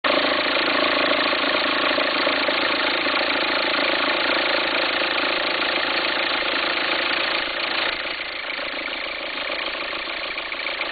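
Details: 2004 VW Passat 1.9 TDI at idle: uneven rumbling, farting flutter about three pulses a second, easing late; belt appears to jump when it happens; owner suspects a worn alternator pulley, unconfirmed.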